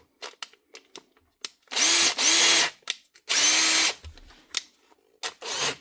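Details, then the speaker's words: Makita 18V DTD152 impact driver: the motor whirs up in short bursts and cuts out between them, starting and stopping unevenly; a trigger switch problem judged not worth fixing. "Switch problem. Nah, not worth fixing that. Switches in these machines are just that cheap to buy."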